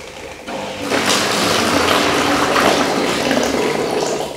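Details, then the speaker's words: Washing machine drain pump running with the hose end placed in a bucket; steady pump hum with rushing, gurgling water flow, no grinding or rattle; drains normally. "включаю Вот такой у нас происходит слив"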